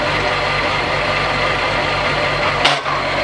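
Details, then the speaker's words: VW VR6 at idle on the first attempt to engage gear. There is a short harsh, yelling noise as the gear is pushed in and it won't go in; the clutch may need more bleeding and feels loose. "That's not a good sound. Try it again. No? That's a weird sound. That's like yelling."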